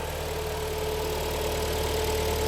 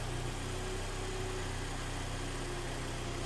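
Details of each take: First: Kia Sportage 3, automatic, all-wheel drive, about 180k mileage, just started cold after engine work: faint steady hum from the gearbox; mechanic suspects low oil, and the hum can disappear when Drive is selected; suspected cold gearbox hum. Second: Kia Sportage 3, AWD automatic, about 180,000 km, after engine rebuild with break-in oil: warmed-up idle, quiet steady low hum with no whine or drone; gearbox no longer noisy, normal.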